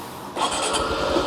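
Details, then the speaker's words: Honda motorcycle (Wave110i/C125/Super Cub listing), cold engine: brief starter whir, catches first try without throttle, settles to a soft even putter, no white smoke; normal cold start. "เดียวติดครับไม่ต้องบิดค้าเร่งช่วยเลยนะครับ"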